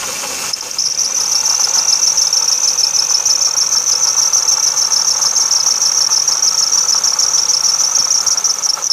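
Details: 2006 Ford Taurus 3.0L Vulcan, about 130k miles, at idle: shrill high chirp pulsing about three times a second, grumbly noise from the passenger footwell area; bad water pump bearing with no visible leak, and replacing the pump cured it.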